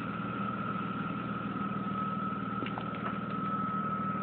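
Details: 1997 BMW E36 M3 at idle, a clear steady high whistle over the even idle rumble throughout; engine whine/whirring/howl, source unknown.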